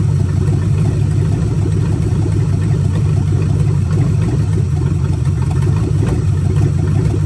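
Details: Budget-build 283 small-block Chevy with Turbo 350, swapped into 1985 Oldsmobile Cutlass, vacuum-secondary carb, warmed through a full cycle so the thermostat opened: deep, loud open-manifold rumble at steady idle, no misses or knocks; runs evenly, normal idle.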